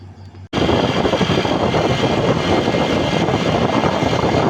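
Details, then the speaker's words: Honda Click125 v3 scooter at 1,521 km, nearly new. A loud, steady rushing drone comes from the CVT belt side while riding. The owner suspects a dirty CVT that only needs cleaning, but the cause is unconfirmed. "Tapos napakaingay na ng gilid, di ba? Kaya nakaisip din ako kung ipa-CVT ko na."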